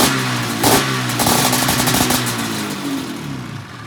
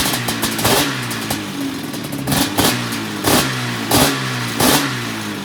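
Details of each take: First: 1997 XC 700 twin two-stroke with early twin pipes, SLP jetting (pilot 45, 6.5 slide, 1370G needle, clip 4), running a swapped CDI; crisp, even crackle rising and falling with throttle, running strong. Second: 1997 XC 700 twin two-stroke with early twin pipes, SLP jetting, back on the original CDI; a few uneven blips, then a lumpy stumbling idle with irregular firing and one cylinder skipping; owner suspects a stuck choke, unconfirmed.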